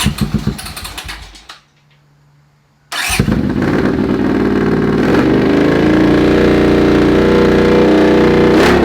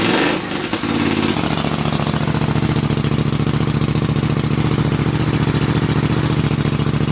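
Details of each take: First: Honda CX500 scrambler with a secondhand slip-on muffler, ignition leads recently corrected: catches after a short crank and settles into a loud, deep, even idle. The exhaust is probably still a bit loud; a DB killer baffle is planned. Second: Honda CX 500 scrambler build, first start after assembly, kicked over with exhaust pointed out the garage door: fires within a second and settles into an even, regular exhaust thump at idle, no misses; running properly.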